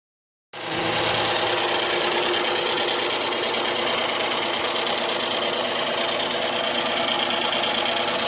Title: 2007 Dodge Charger V6 Slight Ticking Noise Walk Through